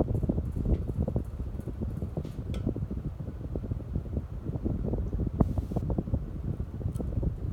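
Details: Hunter Infiniti 52-inch bright brass ceiling fan in a living room, hum on each speed: steady low droning hum under soft blade whoosh, no ticks or rubs; mounted without rubber grommets, owner plans to reinstall with them to reduce hum.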